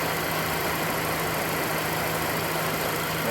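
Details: Mazda Demio (Mazda2) idling after maintenance that fixed a rattle caused by the belt tensioner (monotensor): even, steady idle under a hiss with no chatter or rattle from the belt side. Normal, healthy idle.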